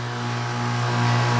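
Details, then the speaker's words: Home air conditioner blowing hot air, outdoor unit turned on at thermostat: steady low compressor hum that slowly swells but no condenser fan whoosh; fan not coming on, capacitor suspected, not confirmed. "so something wrong with the fan so I think we find a problem the fan is not coming on"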